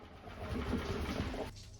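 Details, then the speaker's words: Inverter generator in idle/eco mode: engine speed swells up then sags every couple of seconds instead of holding steady, classic surging; typically caused by a dirty carburetor idle (pilot) jet, so the carburetor is accessed for cleaning. "You might notice your generator revving high and then dropping repeatedly. That's classic surging."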